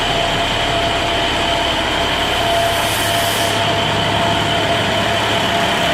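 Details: 2011 International DT MaxxForce diesel in a bus, 83,000 km, after in-frame rebuild with new EGR cooler and rebuilt turbos, following no compression and blow-by: even, steady idle with a constant hiss, no knocking, misses or surging; normal idle.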